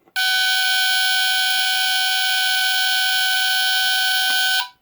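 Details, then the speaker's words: Vintage Norelco Smokey HB-0933A smoke detector with Delta-Larm squealer horn, tested after cover replaced: steady shrill high-pitched tone about four seconds then cuts off; quieter than expected, battery suspected but low output persists with other battery. "I know that Jesse's has a really high, I think it's even higher pitched than this one. It's really not that loud."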